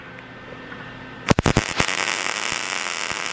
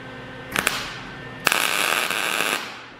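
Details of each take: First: MIG welding cart frame after raising voltage, wire speed unchanged: steady crisp crackle like frying bacon, no popping or sputtering; settings well matched. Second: MIG tack welding welding-cart frame corners: irregular sharp crackling pops instead of steady sizzle; voltage set too low, wire speed thought fine, so voltage increased.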